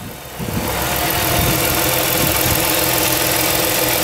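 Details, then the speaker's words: 2006 Chrysler 300 Touring, 3.5 L V6, 71K miles, hood open: after a brief lift the engine settles to an even, steady idle with no knocks or misses; normal smooth idle. "nice and smooth very clean everything operating as it should"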